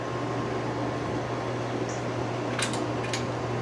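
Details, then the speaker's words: Outdoor fan on medium speed, first run since last year after a cold winter: steady low hum under the even airflow, and more hum on low; motor hum, cause not known. "There's medium. It's got a little bit of a hum, which I don't know if you can hear."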